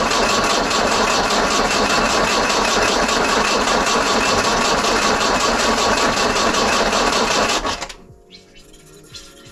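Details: 1968 Datsun 510 after new spark plugs and a new fuel pump, healthy battery: steady quick cranking about two and a half turns a second for eight seconds, never catches; crank no start, owner suspects new fuel pump not yet primed.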